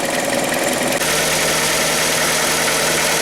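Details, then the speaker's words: Hyundai ix35 2.0 G4KD engine, timing chain previously replaced, morning cold start: fast, uneven light knock about three a second over the idle; source not pinned down, cause suspected, not confirmed. "Теперь посмотрим, как же он будет звучать утром, когда я приду и запущу его."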